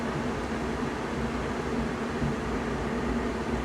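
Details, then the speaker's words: RV furnace model SF-25 after replacing motor, combustion wheel and blower wheel, run about 10 minutes; steady even blower rush, low constant hum, no wobble or vibration, previous rising-falling hum gone. "okay so we've had this thing running for a good 10 minutes it's not it's not vibrating it's not making any noise at all"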